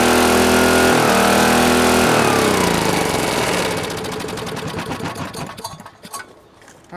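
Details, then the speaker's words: Auction-bought Green Lee 5000-watt generator, small gas engine, kill switch missing, first start after carburetor bowl check: holds a high, strained steady pitch, then slows into separate pulsing beats; owner suspects it runs too fast, carburetor adjustment considered; high engine speed. "is that really where it's supposed to run on speed that sounds a little a little quick for me but I don't know"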